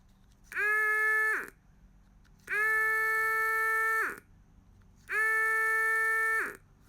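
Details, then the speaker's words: HFCM fuel pump from a Powerstroke 6.0L that failed to fill the secondary filters, run directly off a battery: three short bursts of steady electric whine, each starting and stopping cleanly with no grinding or rattle. The pump motor runs normally. "Robert said he could hear the pump run so let's check that out directly off a battery"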